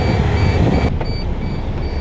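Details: MAN truck diesel idling after clutch booster replacement and machine bleeding, building air so the stiff clutch softens: low steady rumble with a faint high whistle, nothing irregular; runs fine, clutch good afterwards.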